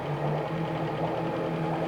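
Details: 2003 Yamaha F50 TLRB 50hp carbureted four-stroke outboard, 20-inch long shaft, est. ~300 hours, compression 190 all cylinders, freshly serviced (plugs, impeller, filters, oils, carbs cleaned): steady even low hum, consistent firing, no knocks or misses; runs smoothly.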